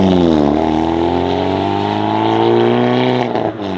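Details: Hyundai Veloster N with catless Depo Racing downpipe and JB4 tune, in N mode: loud raspy drone climbing smoothly with revs, no puffing or ticking from a leak; exhaust sounds healthy and sealed.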